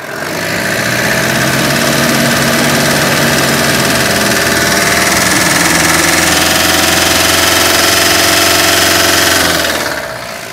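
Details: Mahindra Bolero Camper 4x4 pickup diesel after EGR repair, oil at minimum with carbon and metal debris: loud idle with steady knock near four beats a second that stops at shutdown; internal knock from debris in oil.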